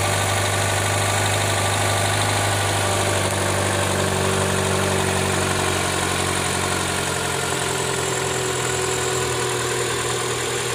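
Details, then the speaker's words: 2012 Hyundai Elantra, 72,000 miles, cold remote start: rough gritty grinding/knocking rattle over a steady idle hum, car shaking. Also occurs on cool starts and uphill under throttle; starter checked fine, cause unknown. "It's been making a weird grinding noise when I start it up on a cold startup or even if it's just maybe like two notches above completely cold on the startup."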